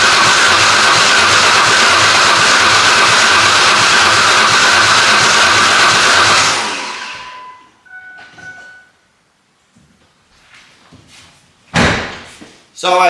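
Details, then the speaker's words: 1998 Ford Ranger 3.0L V6, sat 10+ years outdoors, cranked by the starter at about 140 beats a minute, lopsided galloping pulses; one cylinder suspected of weaker compression, not confirmed. "So, it sounds like there's one. It sounds like there's one cylinder that is uh not as doing as much work as the others."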